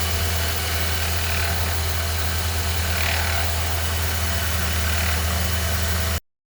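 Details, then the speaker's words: 2013 Ford Fiesta with Zetec Rocam engine at idle: a light, fast chattering rattle about three per second, first thought to be the timing chain but actually the belt idler pulley bearing. Replacing it fixed the noise. "O problema era o rolamento auxiliar. Troquei a peça. Resolveu o problema de bateção de corrente aqui. Eu achei que era corrente comando, mas não era não, era rolamento, que nem o pessoal falou no grupo aí."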